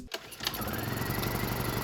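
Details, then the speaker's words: Honda EU2000i inverter generator after carburetor rebuild, on temporary ethanol-free test fuel, choke on, eco on: one pull, fires immediately and settles to steady even run; slight sputter on speed changes noted, then smooths out. "fires up with no effort you take off the choke"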